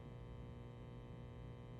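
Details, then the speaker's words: Marshall DSL100/JCM2000 tube amp with the phase inverter tube removed, power tubes drawing 43 mA versus 25 mA: a steady low 120 Hz buzzing hum from the power stage with nothing played, caused by worn output tubes. "you could hear a solid 120 um frequency there coming through and and and is part of it due to the fact that yeah there's an imbalance in the push pull configuration that there's no uh cancelling of of noise at the uh at the power amp"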